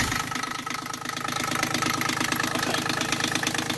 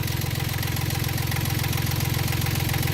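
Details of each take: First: Yanmar 3GM diesel in Hunter 35.5 sailboat after throttle cable replacement: brisk even clatter about three beats a second, idle set too high; later backed down to just under 800 rpm. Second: Yanmar 3GM diesel in a Hunter 35.5 sailboat after a throttle cable replacement: a steady, even low thump at a settled idle just under 800 rpm, with no misses or knocks.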